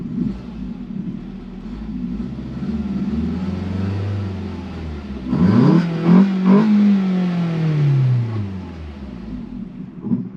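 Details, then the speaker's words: 2012 Ford Focus flooded to the roof after Hurricane Helene, first start. The idle hunts, surging up then sagging, and won't hold steady, though the engine sounds healthy. The owner suspects the throttle body, and the PCM shows throttle pedal position sensor codes. "yeah so it doesn't want to stay idling but it's the engine sounds pretty healthy um I'm wondering if maybe the throttle body is bad"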